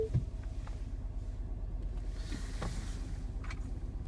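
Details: Mini R55 John Cooper Works with misfire codes P0301 and P0303: quiet, low idle that stumbles and misses beats; the misfire was traced to a failing high-pressure fuel pump.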